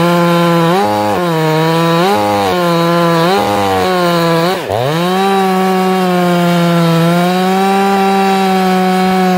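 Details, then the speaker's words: Ported, very loud chainsaw correctly tuned: burbles (four-strokes) unevenly off the cut, then clears to a steady high scream and pulls hard under load; correct mixture. "all right okay you guys hear that that's how you tune a chainsaw"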